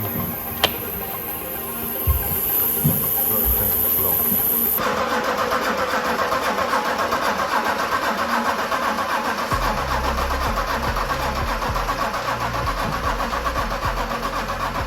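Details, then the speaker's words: Land Rover Defender 90 with BMW X5 engine swapped in place of a 2.4 TDCi, fuel pump relay rewired, flashing engine light; steady, even cranking with no catch or firing pulses, no fuel reaching the rail; crank no-start, no fuel rail pressure. "The car doesn't run whatsoever. I must have 2 hours of footage of us just cranking it over and over and over."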